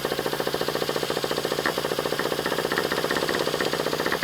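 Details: Traxxas Revo 3.3 nitro RC monster truck, sat 10 years, original glow plug, just started with a little choke at about 50°F: high-pitched uneven burbling, wavering pulses; running rich and rough.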